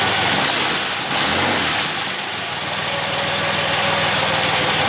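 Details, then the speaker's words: 1963 Buick Special, not started for a week, fired right up on the key with no pedal or added fuel: engine catches quickly and settles into a steady, even idle under hiss; normal start and idle. "I didn't hit the pedal. I didn't put gas in it. Nothing. I just hit the key and she fired right up."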